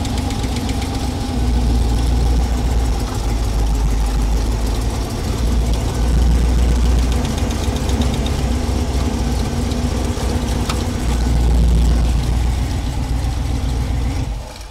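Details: Small-block Chevy V8 in a 1932 Ford Coupe, idling during running valve adjustment: a light, fast clatter of about four ticks a second comes and goes as each rocker is loosened, then snugged quiet. Lash was only slightly off.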